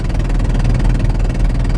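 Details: Van with a spark plug blown out of its thread, leaking compression: loud, rapid raspy chuffing with every firing under revving, at first mistaken for a blown-off exhaust. The engine is gutless on the highway.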